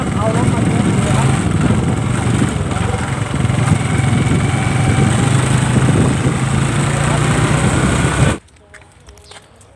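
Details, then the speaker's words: Honda Wave 110i whose rear clacking on take-off came from the drive chain, after fitting a new chain and sprocket: the small single engine pulls steadily with no chain clack, even on hard acceleration; the noise is gone. "นะครับผมเปลี่ยนเสร็จเรียบร้อยนะครับก็เสียงดังก็หายไปแล้วนะครับขับกระชากก็ไม่ดังนะครับนี่ครับเปลี่ยนสเตอร์ใหม่เปลี่ยนโซ่ใหม่นะครับผม"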